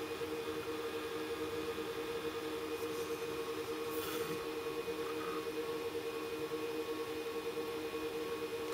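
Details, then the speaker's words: Supermicro X9DRH server in X-Case RM 200 Pro, 80 mm fans controlled by processor temperature: steady whirring hum lifting at the end as the processor warms; fans ramping up normally. "GB failed your processor will start to get warm eventually it's going to get warm"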